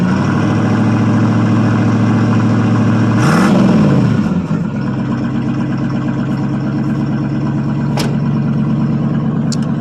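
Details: 1979 Chevrolet C10 Bonanza Big 10, 305 two-barrel V8 with glass pack exhaust, after cold start: deep even burble with one quick rev blip that climbs and settles cleanly; healthy engine.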